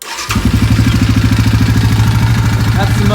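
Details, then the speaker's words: 2011 Yamaha Grizzly 550 single-cylinder ATV engine, 1800 miles, good compression, muffler baffle removed so louder than stock; starter catches at once into loud, even thumping idle: normal start-up. "starts up great we do have the baffle out of the muffler so it is going to be a little bit louder than stock so you may hear that but the motor is in great condition"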